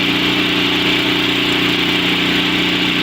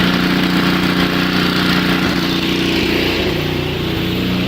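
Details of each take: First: Two-stage snowblower with a four-cycle engine, electric-started and warmed about 30 seconds with the choke stepped off after sputtering: a loud, even idle with no sputter or hunting, a normal warm-up idle, now ready for choke fully off. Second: Two-stage snowblower with four-cycle engine, just started cold with electric starter, choke off one notch: fast uneven faltering beat under the drone, sputtering on too much choke while warming up; smooths when choke is reduced further.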